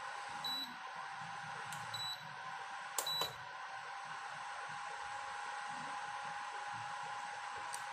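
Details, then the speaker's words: Induction cooktop that kept failing, after repair with thermal paste and heat sink refitted, powered on through a series board: short high-pitched beeps at switch-on over a faint steady hiss, responding normally. "तो चलिए हम चालू करके देखते हैं ये induction चालू होता है या नहीं। तो इंडक्शन चालू हो चुका है।"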